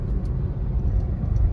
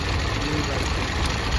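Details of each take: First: Hyundai Venue turbo after fixing a misfire traced to weak spark plugs: deep smooth rumble under way with no stutter or jerk; engine firing cleanly, turbo boost back, pickup fine. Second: Hyundai Venue turbo on road test, accelerator fully pressed but barely moving and shaking badly: rough, uneven idle beat with irregular shake; misfire, spark plugs in cylinders 1 and 2 sparking very weakly.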